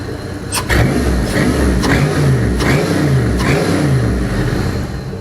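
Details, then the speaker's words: LR4 4.8L Gen 3 LS with an upgraded LS1 cam, rebuilt after rod bearing issue, warm at 156 degrees: strong steady exhaust note rising and falling cleanly with throttle blips, no knocks or ticks; healthy. "LS1 cam is a little bit of an upgrade. It's got a little bit more duration, a little bit more lift than the factory truck cam. Sounds pretty good."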